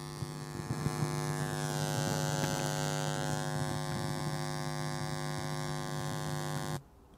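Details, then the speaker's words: IKEA Obegränsad turntable (Audio-Technica cartridge) via RCA output, run outdoors on an EcoFlow River 2 Max: loud steady low hum with buzzy overtones, cutting off abruptly; suspected ground loop, absent through a plain speaker, possibly fixable with ground isolation. "essi l'avete sentito una Ronza nettissima prende presa dal fatto che c'è Probabilmente un lupo di massa"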